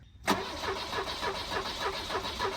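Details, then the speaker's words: Volvo 745 Turbo abandoned in the woods: steady, even cranking at normal pace with no firing; no fuel pump priming heard and no voltage found at the test point; cranks, no start. "I don't know I don't hear fuel pump priming M which could be several things"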